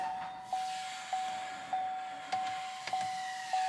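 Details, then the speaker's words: 2021 Silverado 1500 with the 3.0L LM2 Duramax, after a fuel filter change, ignition on without the engine running for two minutes: a quiet mid-pitched hum rising every 0.6 seconds in a steady cycle. The lift pump is priming normally. "you can hear the pump priming right now and they want you to let it go for two minutes"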